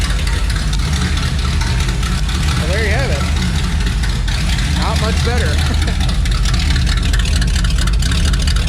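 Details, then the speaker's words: Chevelle at idle on newly fitted exhaust pipes with no mufflers: loud, deep, steady boom with heavy drone heard inside the car, rough from starting; mufflers still to be fitted. "honestly stupid loud and the drone inside just from starting at pretty rough yeah throwing in here is very bad"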